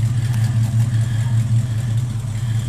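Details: 1968 Ford Mustang, rebuilt 302 V8, Edelbrock 500cfm carb, headers, Cherry Bomb Vortex dual exhaust, cold day, no exhaust smoke; deep even rumble with steady low pulses under light revs, no knocks or misses.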